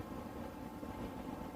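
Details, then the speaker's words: Newly installed diesel air heater in a skoolie bus, firing up after the fuel pump starts ticking: a steady rushing fan noise building slightly as the blower speeds up. Normal fan spin-up during start. "You can hear it going a little faster. Wait for it, the jet's about to take off."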